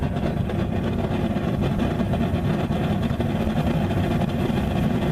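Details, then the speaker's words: Homemade Frosty T burner, test four with a short nipple and big bell, gas pressure cranked to full: a deep, uneven woofing roar with no steady note. The flame is unstable with full air and much better with half the air intake covered. "lot of woy but as soon as I cover half the air intake get a much better flame just crank in the gas pressure a little bit at the time not stable at all but it is burning with full pressure"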